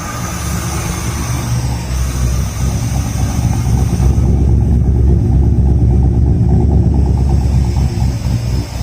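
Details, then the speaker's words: Nissan Hardbody D21 truck build, new AEM fuel pump, new exhaust with electric cutout, not yet tuned, just started: steady deep idle with even low rumble, no ticks or knocks; not overly loud, nothing leaking, healthy. "It's not overly loud. It sounds nice. Nothing is leaking. Everything is happy. And it sounds good."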